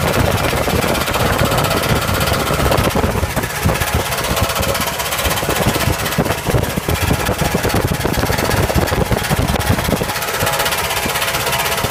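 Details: 1977 Camaro at a loud rumbling idle with a fast, uneven tapping-knock over it; weird abnormal engine noise, cause unclear.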